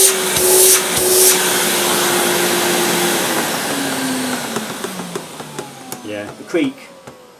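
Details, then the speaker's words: 1998 Hoover Alpina SC211 cylinder vacuum cleaner, possibly long stored unused: steady motor whine slowly sinking in pitch with light creaks and clicks; every Alpina creaks, sounds okay, normal running. "bothered about the creek I've never had an Alpena that didn't Creek I think that sounds okay"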